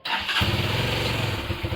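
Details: Benelli Motobi Pesaro 200 Evo motorcycle started via newly installed alarm's remote starter with key off: brief crank, catches almost instantly, then settles into an even, steady putter; clean start and healthy idle.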